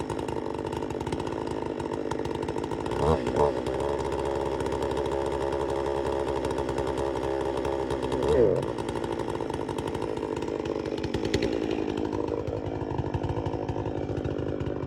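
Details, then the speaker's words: Chainsaw, just after its chain was hand-sharpened, holding a steady, slightly uneven buzz with a few burbles right after a cold start; carb not yet tuned perfectly, set a little rich, dislikes running cold, needs warm-up. "have to let them warm up. They don't like, this one doesn't like to run cold because I still haven't got the carb tuned perfectly yet. But it fires up good. It's a little rich."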